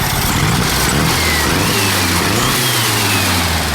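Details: VW Super Beetle Volksrod air-cooled flat-four on its first cold start after rewiring. A misfiring cylinder cleared up after a valve adjustment. It now revs and settles smoothly with all cylinders firing evenly: normal running.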